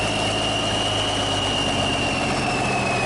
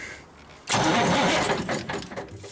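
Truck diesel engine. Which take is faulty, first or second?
second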